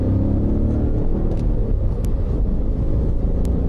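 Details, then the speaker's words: E39 BMW M5 medium launch: revved to 1,000–1,100 rpm, engine drops to 1,000 as the clutch hooks up smoothly without slip, then pulls to a 4,500 rpm shift; clutch fully in before power is made, normal engagement. "Notice that when you hear the engine making any power, the clutch is already fully in."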